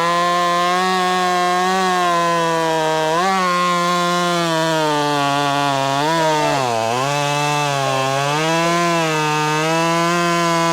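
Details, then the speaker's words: Ported Husqvarna T540 Mark III top-handle chainsaw on its third tank, not fully broken in, warmed up, chain quickly filed, second attempt: high buzzing note dipping briefly under load and recovering quickly; cutting cleanly. "So, what do we learn about the T540? Mark III. Well, it it doesn't feel like it's fully alive yet. It's definitely not fully broken in."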